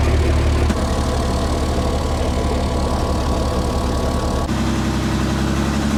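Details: 60-year-old International 6x6 army truck, sat about 10 years, engine possibly a retrofitted crate engine, idling: steady smooth low rumble with no piston, gudgeon pin or tappet rattle; sounds like a new engine.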